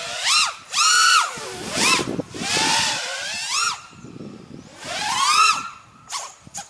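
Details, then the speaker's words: Quad on stock tune flying DYS 5042 triblade props, a copy of the Schubkraft 5042, after HQ props: quieter, whistling whoosh that rises and falls with throttle blips, airy near 20% throttle; normal propeller sound. "It's got a really weird sound to it. I like it though. I don't know if you can hear it. It's almost like a whistling, like a whoosh sound when you go to idle."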